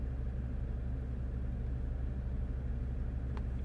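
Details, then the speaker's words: 2015 Jeep Grand Cherokee Overland Quadra-Lift air suspension, compressor already replaced, faults C156E and C15D9: compressor runs loud with a steady unchanging drone but the car doesn't rise, due to low air mass in the closed system. "oh no now the compressor is running I can definitely hear the compressor running quite loud the car is not really moving anywhere"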